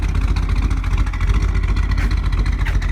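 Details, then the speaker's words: 1948 Mercury coupe V8 with a mild cam, throttle blipped from under the hood: deep, even rumble swelling and settling cleanly, a little black smoke, owner says it runs slightly rich lately. Normal revving. "See if I can get a little bit of throttle from under here. Again, it's got a good rumble."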